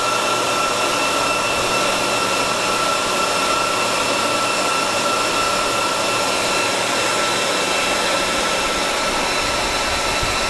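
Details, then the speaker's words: Dell PowerEdge 2950 II server in a room around 20–25 °C; constant high airy whoosh with steady whistling tones, normal fan speed for that temperature after startup ramp-down. "so when you're in a fairly uh warm environment about 20 odd degrees 25 ish this is about the normal fan speed um it does go lower"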